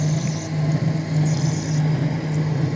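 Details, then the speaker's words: Lathe roughing a stepped pulley with CNMG TF insert, 4 mm depth of cut (2 mm per side), 0.125 mm/rev feed: steady low hum with slight buzz, vibration attenuated but audible, whole metal cabinet vibrating while the chip breaks well. "Donc voilà, donc là ça fragmente bien, la vibration reste très atténuée, même s'il y en a, on l'entend, hein. D'accord, tout le coffret métallique vibre."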